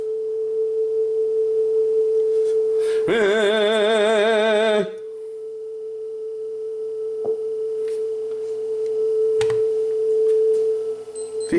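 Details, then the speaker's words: Sanyo dual cassette deck playing test tone: pitch warbles up and down for a couple of seconds, wow and flutter attributed to too little flywheel inertia, poor quality. "that's just poor quality right that's just due to the that's just due to the lack of inertia on the flywheel that's what's causing that nothing more than that"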